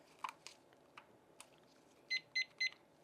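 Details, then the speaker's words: Battery-powered darkroom device that the speaker says clearly needs new batteries, alongside humidity and temperature trackers that also died: a few soft clicks, then three short high beeps about four per second; a low-battery warning. "That's my developer. This guy clearly needs new batteries."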